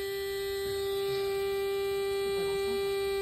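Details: Camper van (Fiat Ducato) cabin: steady, unbroken mid-pitched buzz holding level, suspected entry-step alarm warning the step hasn't retracted, while searching speakers and fuses for a mysterious noise.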